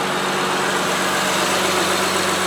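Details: Honda Pilot after replacing a failed fuel injector, first full start since reassembly: steady, even idle with a smooth low hum and no misses, ticks or stumbles. Repaired, running cleanly.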